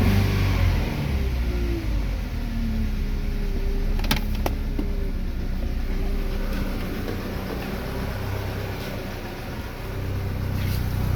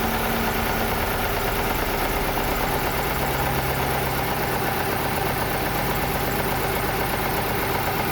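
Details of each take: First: Chevrolet Lacetti/Cruze 1.8: smooth throttle blips rise and fall cleanly with no stumbles or popping, no exhaust problem; normal revving. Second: Chevrolet Lacetti/Cruze 1.8 shaking and pulling poorly: loud uneven, lumpy idle, one cylinder dropping out from a weak ECU ignition coil driver signal; misfire from faulty ECU ignition coil driver.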